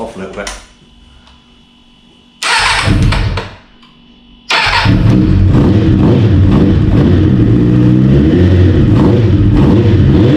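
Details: 1992 Kawasaki ZXR400 L2 after sitting for several years, run on a drip-feed tank after new carb mixture screws and O-rings: a couple of cranking bursts, then it catches and holds a steady, even multi-cylinder idle with no misfire. It runs properly.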